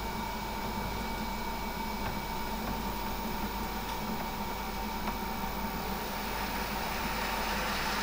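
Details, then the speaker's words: Electric-motor-driven centrifugal pump during a condition-monitoring demo: steady motor hum under a dense, gravelly hiss as cavitation is deliberately introduced. Motor current and voltage sensors detect it, and the cavitation score rises after a slight delay. "now as you can hear temptations being introduced and with a slight delay will see the cavitation for rise"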